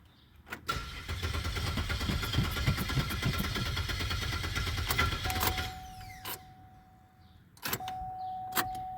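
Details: Crank-no-start on a 2006 Pontiac Grand Prix after new spark plugs and wires: the starter churns steadily at three to four beats a second for several seconds without catching, then a chime sounds; failed ignition coils, fixed by swapping coils.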